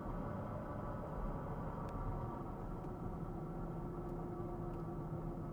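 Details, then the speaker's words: 2014 Porsche Cayenne driving: steady low droning hum under acceleration, different tone on deceleration, fading at light load; owner suspects axle, bearing or transmission, source unconfirmed; drivetrain drone under acceleration. "Deceleration. And eventually it goes away completely. acceleration. Deceleration is a different tone."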